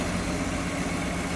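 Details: 1966 Ford Mustang convertible idling with hood open, after new exhaust manifold, tank, sending unit, brakes and rebuilt carb; smooth, steady low idle with even pulse and no ticks or stumbles, "purrs like a Swiss watch"; normal idle.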